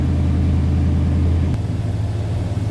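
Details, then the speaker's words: 1968 Ford Galaxie 500 two-door hardtop, 390 V8, believed original 76,648 miles, cold start: deep, steady rumble at raised fast idle that drops slightly as it warms up; even firing, healthy engine. "All right. Didn't take long for that to warm up. So, we're down off that high idle"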